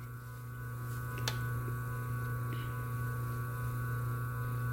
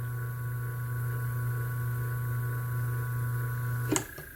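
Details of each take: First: Single-phase motor back on its original rated 25 µF run capacitor: steady even low hum with no wavering or beating; runs smoothly and normally. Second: Single-phase motor run with a larger-than-specified run capacitor instead of its original 25: barely starts, current stays high, loud droning hum wavering with mains oscillation, then clicks off; oversized capacitor makes the motor hum, original runs smoothly.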